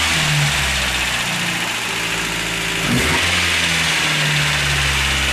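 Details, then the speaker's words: 1989 Toyota Hilux 22RE first start after owner's first full rebuild at 299,885 miles (cam had worn from a maintenance error); no radiator fitted, clutch held in; idles evenly, takes a clean rev and settles smoothly without knocks or misses, sounds good, no leaks. "That's my first time doing a rebuild on an engine. Had it all out by myself. Sounds good."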